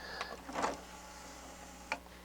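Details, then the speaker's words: Harman Kardon HK 720 CD player with tray-loading trouble; brief light whir and soft click as the tray shuts, with no straining. Owner suspects a slipping belt and plans to replace it. Normal CD tray closing. "let's keep trying this tray see it doesn't have any problems you can't hear it struggling"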